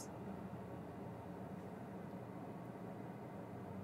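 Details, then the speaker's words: Ford Mach-E GT in turtle mode from a hot battery after fast charging; the owner suspected the HVBJB. Heard from the cabin, a steady low hum and airy rush of the battery cooling pumps and fans, strong enough to feel through the floor. "I hear that now we hear the pumps and stuff oh my goodness I feel it I feel the floor"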